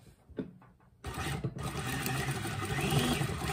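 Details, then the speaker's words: Consew Servo Motor 1000 on a sewing machine, sewing four layers of fabric fast: a few light taps, then a quiet, steady whir with fast, even stitching and no knocking; normal servo motor sewing. "so it does it really well we'll do it again i'm trying to go slow all right i'll go fast here we go yeah so it'll do it really fast"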